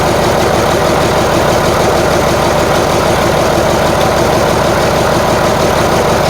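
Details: Marmon 57P Aero truck, newly installed diesel engine at first start after fueling injectors: loud idle with uneven, lumpy beat around three pulses a second; sounds like it's missing, cause unconfirmed.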